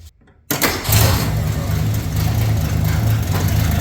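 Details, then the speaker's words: 1965 Mercury Comet Caliente, not run in 10 years, first start with a previously leaking carburetor; catches at once and settles to a steady, even idle without hunting or missing, running smoothly. "At 6, I bumped up to 12, you can hear it smooth right out. Carburetor's not leaking right now."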